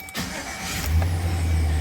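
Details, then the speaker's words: 1999-2006 Chevy Silverado 1500, first start after starter replacement to cure a noise: brief crank, quick catch, steady deep even idle with no grinding; clean normal start. "oh starts like a new truck nice [Music] well there you have it starts and sounds great"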